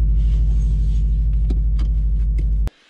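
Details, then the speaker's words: Subaru WRX project, rough idle warm and cold, sometimes dying at stoplights, only 5 psi boost, black smoke: low, lumpy note with uneven beat about three per second before cutting off; rough running, owner suspects bad wastegate, unconfirmed. "i had a funny idol like the idol it would sometimes die when i'd come up to a stoplight and it just wasn't very steady"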